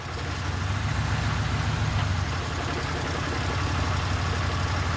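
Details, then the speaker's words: 2006 Pontiac Grand Prix base after top swap and broken plug replaced, all six now NGK TR55 iridium: smooth steady idle and rev with no misses, ticks or knocks; engine runs normally and sounds better. "Give her a rev. There it goes. That sounded a lot better."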